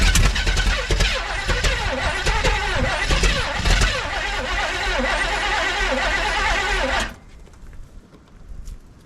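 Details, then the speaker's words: 1971 Chevelle wagon, cold outside; starter cranks about two beats a second for several seconds without catching; owner thinks the fuel pump is fine since there was fuel and suspects it needs choke; crank, no start. "I think it wants some choke. It's cold outside."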